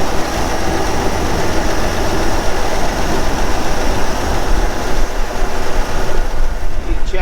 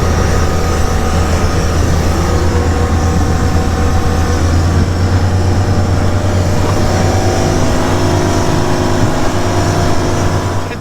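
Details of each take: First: Old boat inboard engine on a lake trip: uneven stumbling chug with cylinders dropping out and not firing; misfire, bad plugs suspected. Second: Old green Gulf Stream boat cruising through rough, choppy waves on a lake: a steady, deep drone holding even revs under load with water and wind rush over it; engine running smoothly at cruise.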